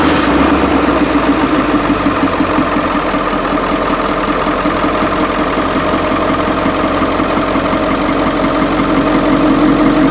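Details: 1996 Ford F-350 OBS Powerstroke diesel started for the first time after sitting several months, with two new maintained batteries: catches right away, settles into steady even diesel clatter without misses or hunting; normal start and idle.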